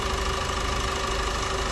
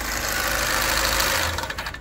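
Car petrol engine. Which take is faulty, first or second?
second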